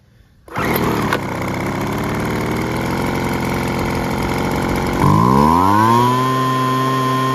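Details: Weed Eater BV1650 two-stroke blower vac after Walbro carb kit, limiter cap removed and screw retuned, air filter and cover refitted: starts cleanly, steady idle, smooth pickup to even high speed; running properly.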